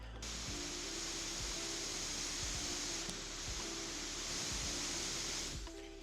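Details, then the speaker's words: Overclocked Nintendo Switch while plugged in: steady, loud, airy fan rush that never lets up; fan running flat out, with the factory putty-like thermal paste blamed and repasting advised. "So yeah, it's pretty loud. It's all I can hear right now. So if you are planning to overclock it, the one thing I say, repaste it, repaste it, repaste it."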